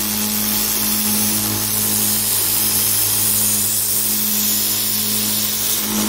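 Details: DIY 2x72 belt grinder, 2 HP motor with VFD, grinding against the belt with no platen: steady high grinding hiss with a faint tick each pass from a badly glued, overlapping Chinese belt joint; sanding barely affected.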